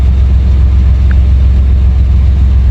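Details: 1998 Chevy Silverado idling after fuel pump replacement: low, even rumble holding one steady speed, no stumbles or misses; the new pump fixed it, engine idling smoothly and healthy.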